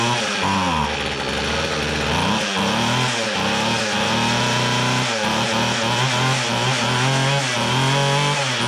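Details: Free restored two-stroke weed trimmer, reversed fuel hoses flipped so it now pumps gas; raspy buzz surges and dips unevenly about once a second, then holds, running on its own normally.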